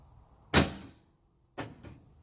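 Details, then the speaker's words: G-body door lock actuator powered by a battery jumper: one sharp clunk then a quick double clunk a second later as it snaps cleanly lock and unlock; it works normally, and the harness is the next suspect. "lock so working like it's supposed to y'all and here's unlock see it's doing like it's supposed to so I know all the motors work now"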